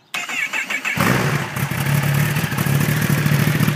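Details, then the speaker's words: 2011 Kawasaki Ninja ZX10R with newly installed TaylorMade exhaust, cold start, idled without revving, recorded from the seated position: quick crank, catches at once, settles into steady deep burbling idle, no misses or rattles. "This bike is cold right now, so I'm going to start it up and let it idle, but I'm not going to rev it up, simply because it's not good to do that to a bike that you just started."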